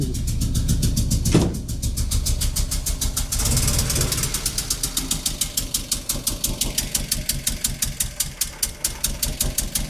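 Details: 1987 VW Golf Mk1 Turbo GTI, first start after fuel pump swap: fires and settles into rough idle with sharp regular puffing ticks about three a second; owner hears a leak somewhere, suspected air leak.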